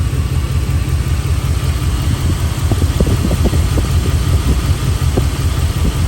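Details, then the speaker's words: Dodge Dakota at warm idle while bleeding air from the cooling system following overheating: deep, uneven chug with an irregular stumble about twice a second. It is still missing badly; the owner suspects a dirty or bad fuel injector. "Got the heater back. Still missing like crazy, but that's all right."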